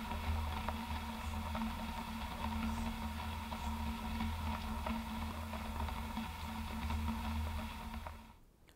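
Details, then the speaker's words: Campagnolo Vento Reaction bike wheel hand-spun with contact microphone: low hum with irregular crackly, crunchy clicks, felt through the handlebars; worn rusty hub bearing, first mistaken for brake pad rub, replaced with HB-SC013 cartridge bearing. "okay so you can hear some of the noise that this bike has been making can really feel it on the handlebars that's why it's getting pretty Annoying It's kind of got this crackly crunchy"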